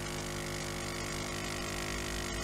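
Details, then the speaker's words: Siemens EQ6 S100 coffee machine after owner's ceramic valve and pump membrane replacement, not frothing milk: steady strained buzzing pump hum, no pitch change; suspected water not passing through the heater, pump labouring against blockage. "there are suspicions, the water does not want to pass through the heater."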